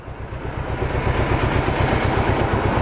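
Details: Mercedes 190E with 2.0 M102 engine, sat over three years, after fuel pump replacement: low, uneven thumping at idle that surges a little as it settles, engine rocking and running lumpy, cause unclear.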